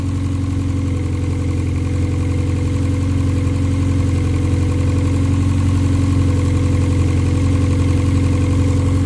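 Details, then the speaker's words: K24-swapped four-cylinder dirt car on K-Pro, first proper run after fixing connection issues, stock injectors for now. Idle about 1300 rpm, charging 14 V, vacuum good. Smooth steady idle, even low hum, all cylinders firing, no misses or ticks: normal. "hell yeah my man's excited ready to make some power she should do really good wow this [ __ ] sounds awesome it really does"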